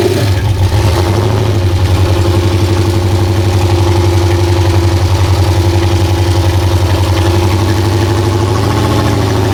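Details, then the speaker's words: Off-road El Camino with LS V8 after a short-track race: deep, lumpy idle with a dull knock about four times a second, getting worse over the final stretch; bottom-end knock suspected, not confirmed. "That was awesome. You could hear it knocking worse and worse."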